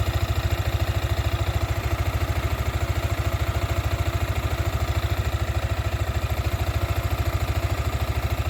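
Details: Sniper 155 VVA motorcycle at 7 months old: even, steady low thumping idle at a constant beat with no knocks, ticks or rattles; the engine idles normally.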